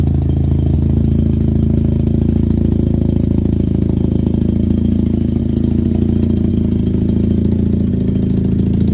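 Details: 13B rotary in a Factory Five 818, startup fast idle; front rotor had very low compression and was barely firing, rear fine. Uneven, chuffy, loping note like an exhaust leak though none existed; misfire on one rotor.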